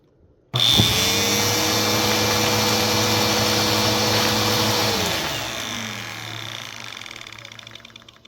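Motor spins up to a steady high whir with the brush roll turning smoothly, then coasts down evenly when switched off; runs normally.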